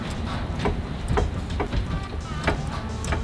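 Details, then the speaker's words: Turbo Nova drag car with a brand new transmission and U-joints and rear that look okay: sharp dry clicks about every half second as the driveshaft is rocked back and forth by hand, seemingly from the transmission end; source unexplained. "I turn the drive shaft back and forth. Like you can hear it click, click, clicking."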